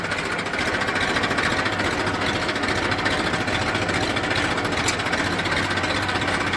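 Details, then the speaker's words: Massey 1035 tractor after gearbox repair with reverse and first gears replaced, running in forward: steady engine drone, smooth gear hum, no knocking, whining or grinding; gearbox normal. "Front में भी आप देख सकते हैं कोई आवाज़ नहीं।"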